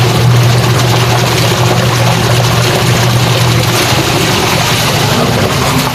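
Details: Sharp single-tub washing machine after repair that fixed a stony grinding with water: smooth, even churning hum with water swishing, no gritty grinding underneath; running quietly.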